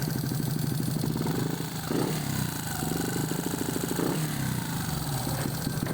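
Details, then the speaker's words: Honda XRM 125 fuel-injected single with a C5 head, after replacing the timing chain tensioner with an adjustable one and resetting timing: even thumping idle with two quick light revs returning cleanly, only a faint cam tick, no chain rattle; normal idle and light rev. "So goods na siya mga do. Wala nang ingay doon sa tensioner."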